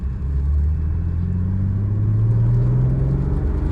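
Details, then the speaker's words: 1995 BMW M3 (E36) on its first road drive, shifting second to third gently: engine drone dips and picks back up cleanly, no grinding or clunk; gearbox shifts smoothly and effortlessly. "Second to third. I'm going real easy on the gearbox, just in case."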